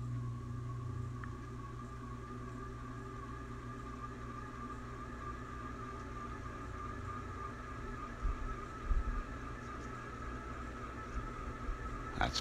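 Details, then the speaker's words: Ceiling fan on high, running forward (blowing down), recorded in a quiet, echo-free room: steady low hum with a thin constant whine; slow to reach full speed, bearings suspected dry. "full speed right there takes a little while to come up to full speed which is kind of well that's a sign of the bearings probably dry"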